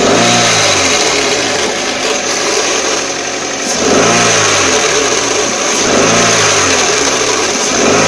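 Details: 2004 Toyota Corolla CE, manual, clutch at 146,000 miles, cold start in neutral, clutch pedal released: raspy whirring rattle that swells and fades with revs; noise stops with clutch pressed and after warmup; owner hopes throwout bearing, not transmission.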